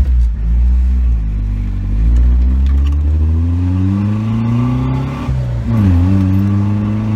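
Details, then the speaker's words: 1989 Jeep Wrangler YJ 2.5L with a single-chamber Flowmaster, driving after crank position sensor replacement: the exhaust drone stumbles and stutters, then clears. The misfire is not fixed, and the ignition control module behind the coil is being considered. Engine misfire. "you want to find out so we're driving it around right now to see if we fix the misfire misfire we'll see that did not fix the issue and you guys can hear it"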